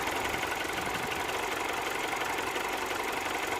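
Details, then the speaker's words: 2007 Mini One 1.4 N12 petrol after the repair for bouncing idle, stalling and error 2982, heard at the front of the engine: steady, even idle with no stumble, hunting or misfire; running quite well. "Let's gonna go at the front of the engine, at the front of the car, see how it's running. It's actually running quite well."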